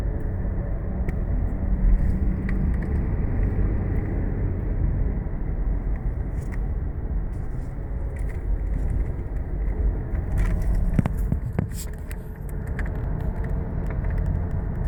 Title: Driving w/ Bad Front Wheel Bearings - Humming Sound